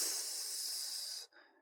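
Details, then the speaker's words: Domestic gas supply pipe behind a washing machine, gas turned back on for demonstration after a gas-smell callout: thin steady hiss running over a second then cutting off; escaping gas from a leaking supply pipe. "but I don't know if it shows up on the microphone, but I can hear a hissing sound."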